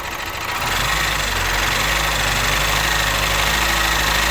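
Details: Opel Astra J 1.6 CDTI (B16DTH) diesel at 138,000 km, after a timing chain replacement, with light throttle: a steady diesel clatter that rises a little and stays even, with no rattle from the front; healthy running.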